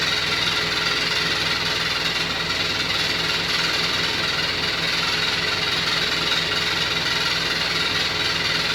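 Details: New Beko WY124PT44MW 12 kg washing machine, 3rd or 4th use, light load: loud steady clatter with a fast rattle about four per second; cause found to be a transport bolt left in, and feet lock-nuts not set.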